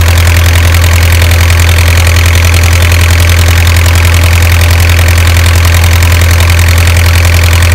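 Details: Isuzu 4BA1 85 hp diesel coupled directly to a 5-inch single-impeller pump, irrigating a 20-rai durian orchard and pushing water about 800 m uphill: steady even clatter about two beats per second, no misses, healthy idle.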